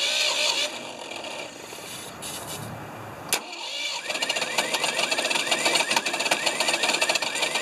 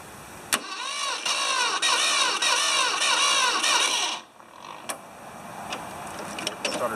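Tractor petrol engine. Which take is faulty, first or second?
first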